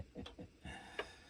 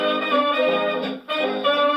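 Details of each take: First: Early dark blue HMV 102 gramophone spring motor: soft low thumps about every quarter second then a sharp click in a quiet room, an uneven thumping and bumping from the motor. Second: Early dark blue HMV 102 gramophone playing a jazz record through the horn; full, clear brass and vocals with no rattle or buzz, reproducer healthy; normal playback.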